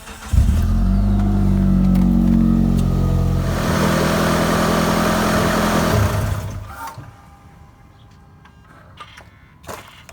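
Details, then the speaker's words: 2007 Mitsubishi Eclipse after AC compressor, idler pulley and belt tensioner replacement, before AC recharge: starts quickly, steady even idle, shuts off cleanly; no squeal, rattle, hiss or leaks. "Just shut it off and I'm not hearing any leaks or anything"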